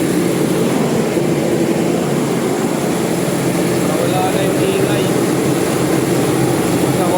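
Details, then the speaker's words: Toyota Revo 2.0 after tightening the loose alternator belt tensioner pulley with 14mm tools, cold-start test drive: steady engine and road rumble with no belt chirp or squeal; squeak is fixed. "So ito na yung test drive."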